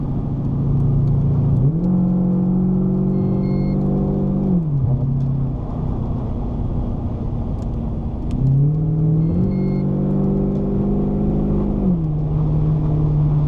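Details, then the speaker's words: Holden Clubsport with freshly rebuilt 4L60E automatic on final test drive after an oil level check; under kickdown revs climb then drop into the next gear, shifts crisp, slightly punchy but smooth, a healthy transmission. "you'll notice the changes are still crisp and clean they're a bit more punchy but they're still super smooth and that's what we're after"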